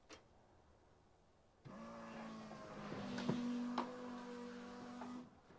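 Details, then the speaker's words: Engine-swapped Toyota Corolla, newly turbocharged with custom exhaust manifold, first start: about four seconds of steady starter whir at 100% throttle so ECU cuts injectors, no firing, building oil pressure to feed turbo; intentional crank without start. "This ECU has a setting where if it's at 100% throttle position, it won't fire the injectors. So, it'll crank, but it won't fire the injectors."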